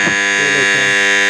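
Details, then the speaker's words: Chinese motor on a Dawlance washing machine, belt fitted, run on a series test board: steady electrical hum with a buzzy edge and no spin-up. It runs free without the belt but stalls under belt load because of worn bushes, which are to be replaced. "ये आवाज़ कर रही है, चल नहीं रही। अब हम इसका बेल्ट उतारेंगे और बेल्ट उतार कर हम इसको चलाएंगे तो ये चल जाएगी।"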